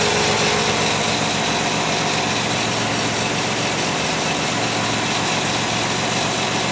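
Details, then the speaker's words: 1995 Pontiac Firebird 3.4 SFI idling after coil pack replacement: a steady, even idle with a smooth hum and no misses, running smoother than before. Normal idle. "Seems like it's running a lot smoother than it was."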